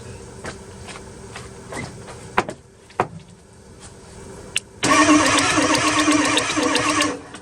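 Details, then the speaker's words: 2002 Ford F250 7.3 Powerstroke diesel, sitting 2 years, cranked from under the hood with ether sprayed in the intake: scattered clicks, then a fast chug with hints of catching as fuel starts arriving; almost firing but never runs. "We're actually getting pretty close there. It's wanting to almost start."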